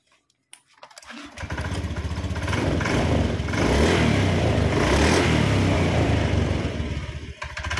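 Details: Honda Beat ESP scooter after checking the starter pinion and recharging the battery: short crank, then the engine catches, settles and revs up smoothly and evenly; a healthy start with a good battery.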